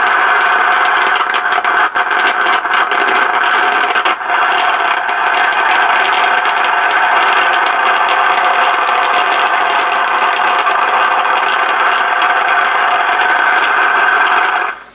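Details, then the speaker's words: FT-101 receiver, volume up with no antenna, controls cleaned so not a pot: steady loud hiss with sharp crackles and pops like lightning crashes; internal noisy component in receiver. "you can hear that erratic noise in the receiver. Now all the controls has been cleaned, so it's no pot. I done tested through all that and looking through, and we just have something that is very noisy in this receiver that's causing what almost sounds like, you know, lightning crashes in the background."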